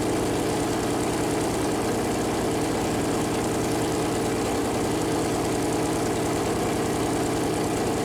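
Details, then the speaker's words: First start of a freshly built Chevy Performance 454 big-block V8 on a run-in stand: deep, steady, lumpy idle with an even firing beat and no knocks or ticks. Normal idle; the plastic oil-gauge line later leaked after contacting the headers. "all right so that was first fire up and uh everything was going pretty good"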